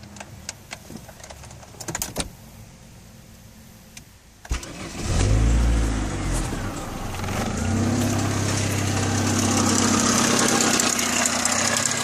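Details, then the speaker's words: Saturn inline four-cylinder engine after water pump failure and suspected oil run-out while driven, quick start: a few clicks and a crank, then a catch into a harsh, uneven idle with ragged beats; running rough, cause not confirmed. "you can hear just how screwed up that sounds i'm gonna go fill this in the car here because i don't want a certain someone to see that so you can hear how crappy that sounds"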